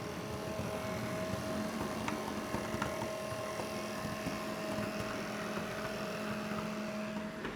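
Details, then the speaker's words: Gauge 0 model railway V 100 locomotive with the microphone held to it: steady mid-pitched hum with faint clicks, the motor humming loudly for an unknown reason. "I'm going to hold my microphone up to the locomotive because maybe you can already hear it. It's humming quite a bit"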